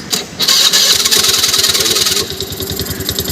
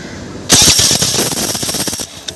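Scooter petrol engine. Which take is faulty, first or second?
first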